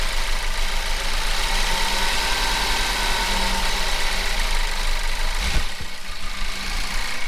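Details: 2012 Ford Focus first start after transmission rebuild: loud, shaky idle with uneven low rumble and RPM going up and down; throttle body connector not plugged in properly, smoother once reconnected.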